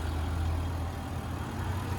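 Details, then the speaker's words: Land Rover LR4 5.0 V8 quick cold start and idle: deep, steady idle with only faint normal valvetrain and injector ticking, no chain slap, rattle, hissing or clacking; healthy timing chains. "So right there, that was a nice quick little cold start. No chain noise, slapping, hissing, clacking. Just normal valve train injector noise."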